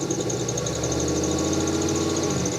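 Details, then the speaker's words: Mazdarati 2.0 project car that overheated, with water in the oil and coolant refilled from empty. The radiator is still bubbling, and a new whirring, chirping squeak pulses steadily over the running engine. The squeak's cause is not yet found. "you're a squeak we didn't used to have yes it's making weird noises it never made before you can hear like a worring and a chirping in it"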